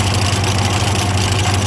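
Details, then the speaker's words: Ford 515 sickle mower after greasing, drive running: steady even drone with low hum, no knocks or big rattles; normal running, though owner plans to re-grease and its belt is cracked and due for replacement. "i'll probably re-grease everything but honestly it sounds good no weird big rattles or anything"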